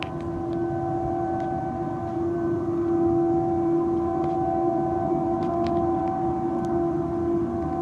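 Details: Steam blowing off from an over-opened valve on an industrial boiler in Patos de Minas: a loud, steady mid-pitched hooting tone holding unchanged for seconds, heard at a distance. No damage or injuries, and the fault was corrected.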